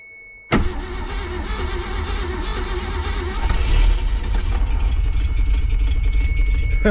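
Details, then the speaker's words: 1966 Ford Galaxie with EFI swap, first start: starter turns about three beats a second with ragged, uneven firing that never catches cleanly; timing slightly off and fuel pump not being powered. "Baby, the timing's a little off and for some reason it's not running the fuel pump."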